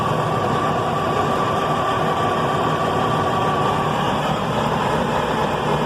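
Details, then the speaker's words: Detroit Diesel 6V92 that sat at least 10 years, fed from a 5-gallon bypass tank with freshly primed filters: steady cranking with a thin starter whine. It gives a little white smoke but never catches. "well that's the best so far but i don't want to overdo the don't want to burn out the starter so we'll try again in a few minutes"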